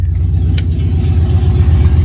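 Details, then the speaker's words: 1999 Chevy Tahoe with an LS engine and Holley Terminator X Max, after setting the IAC to zero (was 42, then 98): deep, steady V8 idle burble, the earlier sound gone; normal idle. "you guys hear that I got rid of that sound"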